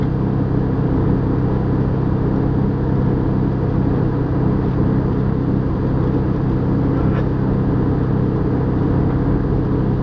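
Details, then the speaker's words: Airbus A320 cabin about 15 minutes after takeoff from Madrid: steady deep droning hum with low throbbing beat as one engine vibrates, resonating the airframe while cockpit parameters stay normal; abnormal vibration resonance, cause unknown. "en principio es una vibración que produce resonancia dentro el avión pero en la cabina de vuelo todos los parámetros son normales"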